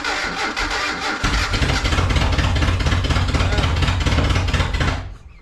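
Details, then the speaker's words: Datsun 720 King Cab 4x4 running after a miswired ignition control module was fixed, while ignition timing is retarded step by step: lumpy, loping, uneven beat about three per second; rough running, with number one cylinder apparently not firing. "not great. Let's back it off a little more. Let's just keep bringing her back. Keep bringing her back. Gonna gallop like an angry donkey."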